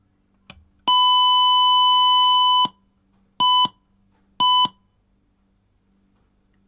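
One long high beep of nearly two seconds, then two short beeps a second apart: normal switch-on signal through the speaker.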